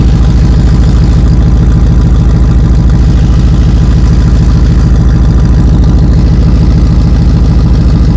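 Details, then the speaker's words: 1991 Chevy Suburban at idle: deep rumble with a fast, steady metallic rattle from two exhaust pipes touching; fixed by welding them. "well that was easy to diagnose looks like these two pipes are touching which makes them rattle against each other"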